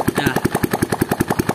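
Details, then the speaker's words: Yamaha Jupiter Z at idle after owner's DIY clutch work: harsh rough knocking about five times a second; clutch housing rubbing the kickstart shaft. "ya, pergerakan terlihat jelas di as operannya. Nah, seperti ini. Nah, inilah penyebab dari sumber suara yang kita dapatkan ataupun kita dengarkan di awal video tadi."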